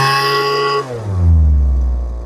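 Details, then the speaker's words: Lesco LHB 2500 handheld blower during carburetor tuning, high-speed screw being adjusted. Steady high buzz, then revs sag and struggle when the throttle opens: bog on throttle-up, found to be underfeeding fuel at idle (lean idle mixture). "Gives us a little bog there. Little bog. So, it might be too much fuel."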